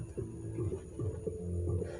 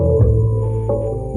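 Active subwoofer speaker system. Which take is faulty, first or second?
first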